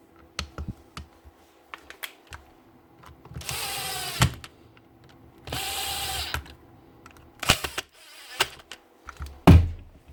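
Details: Makita BO5031 5-inch sander that would not switch on, after its worn-out carbon brushes were replaced: two short bursts of smooth, even motor whir between handling clicks. It starts promptly and runs normally.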